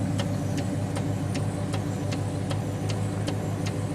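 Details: 1940 Nash Ambassador Eight engine idling while its Trico vacuum wiper motor, previously seized and now cleaned and lubricated, sweeps with soft regular ticks about every 0.4 s; smooth, healthy operation.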